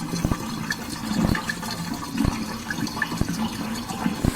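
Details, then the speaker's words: Miele dishwasher draining after fix (air gap removed, drain hose routed in a high arc behind the sink): strong, steady rush of water with light gurgling and no stalls; drains fast and unobstructed, normal flow. "And now this drain really did great, and I can almost guarantee that it'll never jam up again. Here's what it sounds like now, and we can see the volume of water is much faster."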